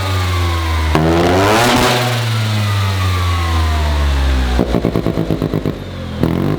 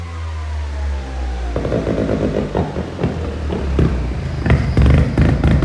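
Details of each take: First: Mazda single-rotor rotary build revved freely while parked; it needed a battery jump because the alternator seems not to be charging. Very loud rasping exhaust sweeping up and back twice, then a choppy crackling idle, healthy and revving freely. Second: Mazda single-rotor rotary build during tuning: a smooth drone breaks into uneven pops and bangs that keep surging. It starts and runs but is still rough and needs more tuning.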